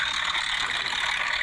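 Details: Running engine with a constant fast metallic clatter: timing chain slapping because the chain tensioners are worn out.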